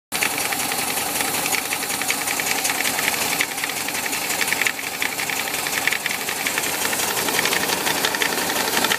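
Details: VW Bus Type 4 air-cooled engine idling with a fast, steady knock in time with engine speed, from the 12 o'clock position on the cooling fan; cause unknown.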